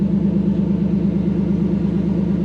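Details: Toyota 1UZ-FE V8 swapped into a KZN130 Surf, no idle stepper motor fitted and oxygen sensors needing replacement: loud, deep, rough burble with no muffling, running on open headers; needs an exhaust.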